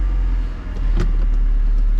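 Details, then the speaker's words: 2000 Mercedes-Benz SLK230, manual transmission, 77,082 miles: loud, booming low exhaust rumble with a dip and recovery; missing catalytic converter suspected, not confirmed. "It does start. Sounds like there might be a missing catalytic converter in it."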